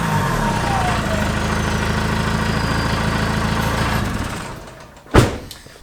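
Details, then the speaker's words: Peugeot 306 2.0 HDi, stage one tune, on its original rotten exhaust before stainless replacement: a sharp, raspy chuff on every firing pulse at idle, swelling with revs. Exhaust leaking in many places. "now the mrt is during a week and it's blowing in about 50 places because it's ancient and it just gets bashed around"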